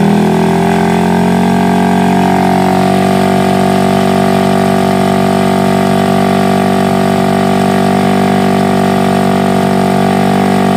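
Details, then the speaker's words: Honda Revo Absolute after a new original Aspira cylinder block, at long steady throttle to check for smoke: a smooth, even hum with no knocks, misses or rattles; apparently no smoke, healthy. "Biasanya kalau sudah kita gas datar ya, gas datar lama, gas datar biasanya kalau di seal itu bermasalah, dia akan berasap, dan bila di blok juga seperti itu ya teman-teman."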